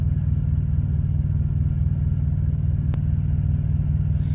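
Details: Thermo King Evolution TriPac truck APU that keeps shutting off, shop suspects a temperature sensor: steady low diesel drone at constant speed after it turns over, no obvious knocks or misses; cause not confirmed.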